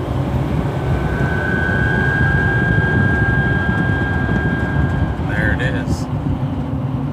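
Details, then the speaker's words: 2011 GMC Sierra Duramax turbo diesel, inside the cab at cruising speed: a steady high whistle over the road rumble, caused by air across the aftermarket LED light bar fins; fixed with door edge molding on the fins. "you can hear how obnoxious and loud so this is our fix we're gonna go ahead and start putting this on the back of the LED light bar where the fins are making the humming noise or frequency sound inside the cab"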